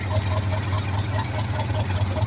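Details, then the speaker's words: Old-model forklift with gasoline engine, reported misfiring and lacking power, idling after start before repair: slightly uneven, lumpy beat with occasional stumbles; minor misfire at idle. "So ang una po natin gawin mga boss para malaman natin kung gaano kapalyado itong o walang puwersa itong makina. So paandarin natin ito mga boss."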